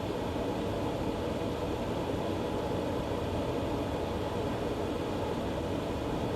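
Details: Green Mountain Grill Jim Bowie Choice, reassembled after the auger was cleaned out because it had stopped working: the auger now turns, but the motor gives a steady, loud drone with no knocks or grinding. Loud auger motor noise, cause unclear.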